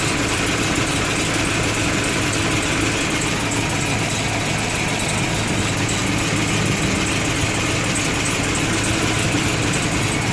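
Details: 2013 Camaro SS V8 idling steadily with a faint, high, regular chirp about three times a second; source unknown.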